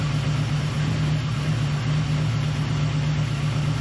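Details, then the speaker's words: V8 with Holley Terminator X/Sniper throttle-body EFI, cold start after reseating loose injector plugs: smooth, even idle with steady low rumble and a faint hiss, thought to be the IAC, normal until warm; loud lifters always present. "Now you might be able to hear it hissing normal on the throttle body systems when they first fire up, that goes away after it's warm. I think it's the IAC."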